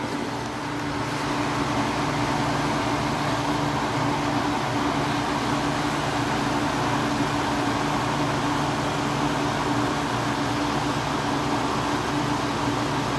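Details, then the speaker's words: 1986 Kenmore air conditioner after a capacitor replacement and an R22 top-up; steady fan rush with a constant low compressor hum, no rattles or cycling, ice cold output; normal running. "i also had to add some r22 to it and this thing's already ice cold"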